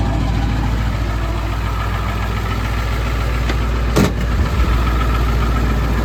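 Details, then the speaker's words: Ford 7.3 Powerstroke diesel truck idles evenly, with one brief bump and no stumble. This follows removing the injectors for troubleshooting and re-torquing them; an earlier fuel pump and return spring job hadn't fixed the rough running. It now runs much better; oil flows from front injectors 1, 3, 5 but not 7. "Well, truck started fine. It sounded like it was running fine."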